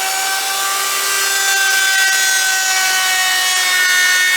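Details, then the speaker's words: Router shaping an electric guitar body on a lighter pass taking less wood: a high steady motor whine with a bright cutting hiss holds its pitch. Smooth routing with no bogging. "So you should be able to see that we took a little bit more off, and you could hear it just went so much smoother, not taking so much wood, right? You can hear the router doesn't bog down, and that's what you want to do."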